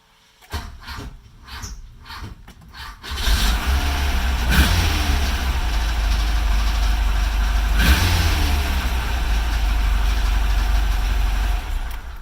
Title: Hard starting. Need a relay?